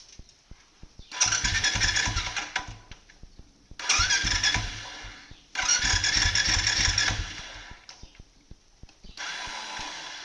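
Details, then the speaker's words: Royal Enfield Bullet: starter pressed but engine doesn't crank, only a whirring burst with quick khat-khat clacking; mechanic attributes it to the starter clutch (sel chakkar) slipping and advises using genuine parts for the repair. "તો આપણે હમણાં cell માર્યો તો cell લાગ્યો નહીં, પણ અવાજ આવતો હતો ખટ ખટ ખટ ખટ. પછી અંદરથી જ્યારે સેલ લાગતો નહીં તો મતલબ જ્યારે બી આ પ્રોબ્લેમ આવે તો એ સેલ ચક્કરનો પ્રોબ્લેમ હોય છે."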